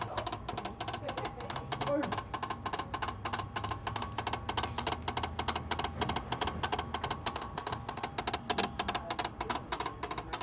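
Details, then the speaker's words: Car at idle with the headlight switch on: a fast, uneven train of sharp clicks, roughly three per second, from the driver's-side front. It does not sound like an electrical short, and the cause is unknown. "So if you leave the headlight switch on while the car is at idle, for example, you can totally hear it. It sounds really weird."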